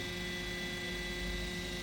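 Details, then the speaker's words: Asus FX516P laptop, running very hot at about 70°C on the GPU side, before replacement of both CPU and GPU fans: loud steady airy rush with a thin high whine from the straining GPU fan. "ตัวเอุณหภูมิสูงมากนะครับเครื่องนี้70องศเลยนะครับเดี๋จัดการครับเสียงพัดลมฝั่งGPUดังมากนะครับ"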